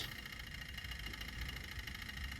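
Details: Toyota Hilux KUN26 diesel after refitting donor turbo driver module, codes P0047, P2564, P2588 cleared: steady, even idle with light ticking, stepper motor chatter, no hunting; codes did not return, fault was the turbo driver module.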